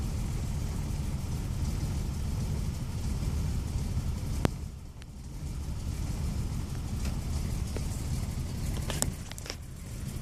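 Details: 1993 Toyota Camry XLE V6 driving with a low, uneven rumble and ragged stumble under load; misfire from dead cylinder no. 3 due to a bad fuel injector, other five injectors dirty, plus bad spark plug wires; low idle rpm, low power.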